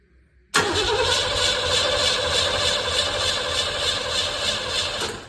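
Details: 1958 Plymouth after body swap, not run in over 40 years, being hot-wired: steady starter cranking for about five seconds with no firing; cranks but won't start. No spark suspected, possibly insufficient fuel; not confirmed.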